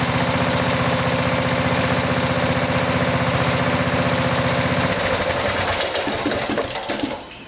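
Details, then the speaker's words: Craftsman riding mower engine after fuel tank replacement: running steadily at about four beats a second, solenoid connection cut at carburetor; loses power after five seconds and dies within two. Poor fuel shutoff solenoid contact stops the engine; won't run. "and then cut this off for the connection to that solenoid allow skill to enter the carburetor hole just watch what happens"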